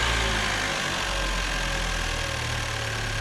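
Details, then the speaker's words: Chevrolet Cruze turbo engine with a Go Fast Bits diverter valve just installed, revved in neutral reaching only 5–7 psi boost: smooth, even mid-pitched hum with light hiss, no knocking or rattles; normal running. "so this thing sounds pretty good just revving it in neutral uh the car can only hit about five to seven psi so that's not really a full test of the valve"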